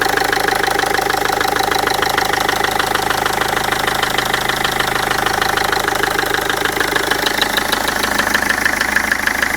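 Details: Land Rover Freelander TD4 diesel idling with a steady, regular knock about three beats a second over the clatter.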